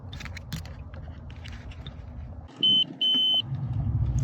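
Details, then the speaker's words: BMW X5 with a Comfort Access door lock/fuel cap problem, rear fuse box fuses checked with a multimeter continuity test: two crisp high beeps; the fuse is good. "so here you go okay this fuse is good"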